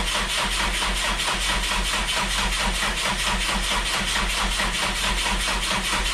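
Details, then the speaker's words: Freshly rebuilt rally car engine, just after its first start: even steady running with a regular smooth pulse about once a second, no knocks or rattles; first start went well. "put the motor in, first start went well, first drive cycle went well."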